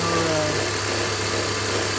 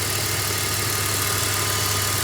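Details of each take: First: BMW X3 engine idling with a constant buzzing vibration over the engine note that goes away when revved. The water pump, likely original, has bearing play and the belt tensioner chatters; both are being replaced. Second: BMW X3 after replacing the water pump (play, knocking) and chattering belt tensioner: steady, even idle with smooth hum, no belt-drive rattle or vibration; normal idle.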